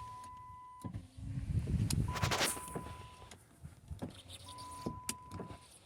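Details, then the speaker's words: 2005 Dodge Magnum RT on a low battery, driver and passenger power windows: two short even motor whirrs with soft stops, no grinding or straining; normal power window operation. "so driver's side works. Oh. Battery's still a little low, but passenger side seems to work."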